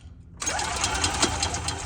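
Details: EFI E-Z-GO golf cart cranks with fast, even starter whirring and busy mechanical chatter but never fires; being tested for coil feed voltage at unplugged coil plug (orange/red) with test light.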